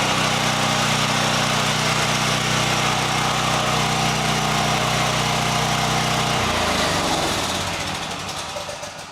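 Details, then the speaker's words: Champion EFI generator after an easy fuel pump fix. Even, steady engine drone with a firm low beat, then winding down smoothly on shutdown: normal running. "Well, that was an easy fix."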